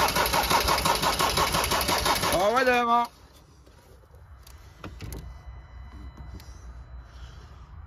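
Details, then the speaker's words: Doosan compressor diesel, started after running only 5-10 seconds the day before: runs hard and uneven about three seconds then winds down and dies; cause unknown, fuel supply questioned. "yesterday literally ran for about 5-10 seconds and then just put it out"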